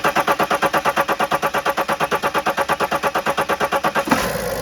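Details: 2009 BMW X5 35d, M57 3.0L twin-turbo diesel, after highway stall with zero rail pressure, no parts changed: even cranking at about three compressions a second for four seconds, then it fires and settles; hard start, cause unconfirmed.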